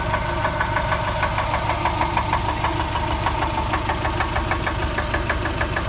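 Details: Subaru engine rebuilt from 2.2 to 2.5, warm idle: steady sharp knocking about three beats a second from the driver's side, absent when cold, appearing a few minutes after restart, inaudible when accelerating, returning at idle.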